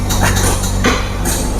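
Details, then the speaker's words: Engine from a car from Kalimantan after an engine teardown, held at 1500 rpm: even hum with no tapping or knock from timing chain or piston, only handling clatters; judged safe. "Kalau ini dia enggak. Jadi ini masih kategori kami bilang ya aman."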